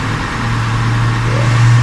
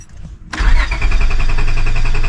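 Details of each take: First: 2002 Honda Accord coupe V6 started after culprit D101 cable found, check engine light on; smooth, low, even idle with no clicks or misses; normal idle. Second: 2002 Honda Accord coupe V6: starter cranks with quick even chug but never fires; battery on but no fuel pump priming heard, owner suspects fuel pump relay, unconfirmed.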